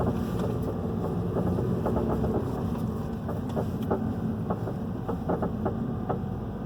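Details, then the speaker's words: 2011 Hyundai i30 2.0 with suspension noise two shops couldn't find, recorded inside while driving at low speed: irregular dull knocks, worse in the roundabout turn; traced to worn front stabilizer link. "Vocês viram que o barulho é bem aqui, pra gente estar no carro, é bem perceptível. Sem andar em pavimentação irregular, para de bem, não faz nada."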